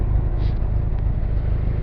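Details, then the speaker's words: Freshly rebuilt Ford Model T engine during break-in, with only about 5 minutes of runtime, warming up. A deep, steady, even rumble with no knocks or misses; it sounds good. "Got literally 5 minutes of runtime on it. It sounds good."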